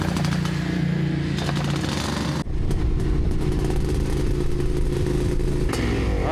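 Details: Yamaha IT490 two-stroke on test ride after exhaust refitted with new gaskets and carb swapped: loud, crackly drone pulling hard, dips briefly and recovers; strong on the pipe though throttle pickup differs between carbs; normal running under load.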